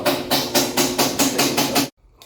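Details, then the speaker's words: Brastemp BWL 11kg washing machine, which also fills with water nonstop: loud rhythmic helicopter-like whooshing thump about four times a second during spin, then it stops; caused by the broken gearbox actuator. "aquele barulho que tá dando aí na máquina era essa peça aqui ó Sério ela é a caixa de engrenagem"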